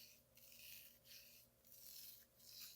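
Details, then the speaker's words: 2021 Fox Float 34 Factory FIT4 fork damper, over 300 hours in one year, stroked by hand before service: harsh gritty rasp swells each stroke, about one per 0.7 s; air in low oil, needs bleeding and new seal head. "now that sounds unbelievably horrible this thing's absolutely destroyed it definitely needs to be bled it definitely needs a new seal head"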